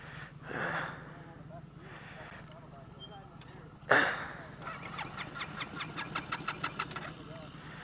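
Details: Scooter ridden 400 miles that won't start, jumper available: sharp starter click, then a rapid, even chug of cranking pulses for about three seconds, never catching; hard starting.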